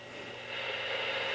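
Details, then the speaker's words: Realistic Navaho TRC-457 CB radio on channel 20, no RF output power: faint steady hiss from the speaker only with volume nearly wide open, no signal; receiver weak, cause not yet known. "I have to turn the volume just about wide open to hear the hash in the speaker."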